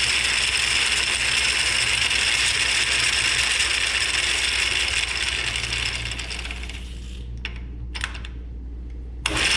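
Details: Atlas 10F lathe with QC42 quick-change gearbox in rough condition, gears engaged: loud, harsh ratcheting gear clatter with a brief quieter dip, from worn gears and shafts (some worn 30 thou) causing slop.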